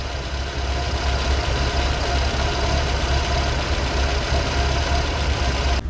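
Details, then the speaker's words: Warm Vauxhall Viva HC idling about 900 rpm, mixture just leaned using colour tuner: smooth even low idle, steady beat, no misses or hunting, brief fuel splurge; normal idle. "listen to that purring like a baby pussycat ignore that there was a fuel splurge"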